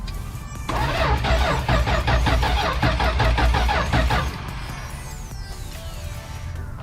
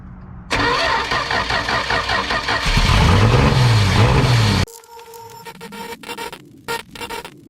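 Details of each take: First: 1971 Dodge Dart sitting for years, seized motor freed with oil in cylinders, plugs cleaned: even starter cranking about two and a half per second, never catching; no spark because no power reached the coil. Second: 1971 Dodge Dart sitting for years, fresh battery: brief crank, then engine catches and runs loud and fairly steady about four seconds before shutting off.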